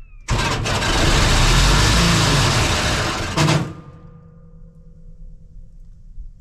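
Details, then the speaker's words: Diesel welder that fell from a crane, bought at auction, first start after 10 seconds of glow plugs with a weak-sounding starter: it catches and roars to a loud, high, uncontrolled speed, then cuts out; sounds like running away, cause unconfirmed, teardown planned. "that ain't good rot row that sounds real bad well dang it the engine runs but it sounds like it's like running away or something so that's not good"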